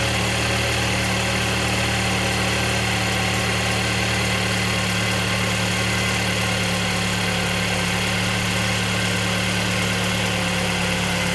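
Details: 2023 Mercedes-Benz E250 at 6000 km from new: steady idle hum with persistent high-pitched whirring whine, no rhythm change; service center found nothing wrong; origin unknown.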